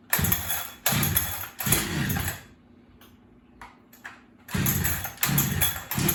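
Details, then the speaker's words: Holzfforma Farmertec 372 kit chainsaw, two-stroke, started cold; fires in short revving bursts with quiet gaps and an unsteady idle; boggier than yesterday, owner blames the cold, low-side carb needs adjusting: boggy uneven running. "It wasn't as boggy yesterday. I don't know why it's boggy today. I'd say it's because it's cold."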